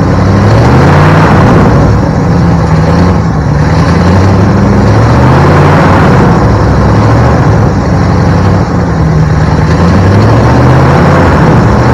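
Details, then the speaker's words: 1972 Ford Bronco 302 V8, first start in at least 20 years after confirming spark and supplying fuel: steady burble that picks up cleanly on a few throttle blips, no misses or knocks; runs fine. "Okay folks, that is it for this episode, but I think we can chalk it up as a win because Project Krusty, which is what we're calling our 72 Bronco project, is officially a runner now."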